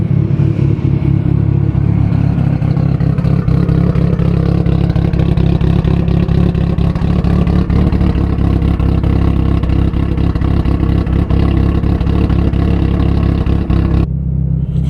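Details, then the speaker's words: Big-turbo Mitsubishi Evo 9 on stock ECU, near operating temperature when cam sound appears: deep steady throb with smooth even pulses and brief rev rise, no knocking or ticking; normal running engine. "It's crazy, the cam sound doesn't even really come until it's almost operating temp. Let's listen to it now."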